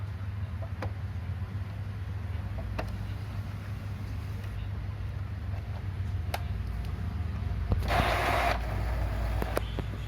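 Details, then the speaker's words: Epson L355 printer that blinked all lights and squealed at power-on, powered on again without scanner after reassembling the mechanism (rollers still good): low steady motor hum, brief rising whir as carriage turns; normal power-on cycle, squeal gone. "Tinggal coba kita nyalakan lagi tanpa scanner, apakah masih bunyi. That's it. Sepertinya dia sudah mau memutar."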